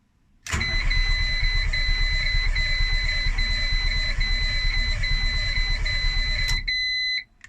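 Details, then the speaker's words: Project Twingo after an engine swap, cranked with the ignition disconnected and no brake fluid to build oil pressure: steady, even cranking at about three turns a second under a warning chime; it turns freely but never fires, as expected. "okay remember the ignition is disconnected so it's not going to start up try again pumping the oil around the engine"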